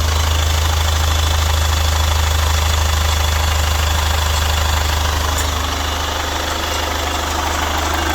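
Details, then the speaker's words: Chevrolet Captiva FL diesel, revived after sitting 6 years, no exhaust fitted: loud, raw idle with a steady rhythmic clatter and a constant deep drone, holding an even, normal idle. "Oke. Coba starter Bolo. Mantap. Nah, ini knalpot belum kita pasang."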